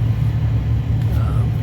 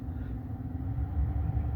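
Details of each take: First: 2013 Ford F150 heater blower fan, quiet at speeds two and three. At step four a low drumming rumble starts because the blower wheel was pried about 1/32 inch off the motor base and vibrates. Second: 2013 Ford F150 heater blower after refitting, blades shifted off the motor base: low, steady airy rumble, quiet on the second step, starting to drum from the fourth step; imbalance persists.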